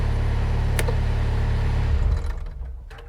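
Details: Mustang machine's diesel chugs evenly, then after a click winds down and dies within a second; this micro switch was shorted with wire but the engine still cut out, so this switch is ruled out.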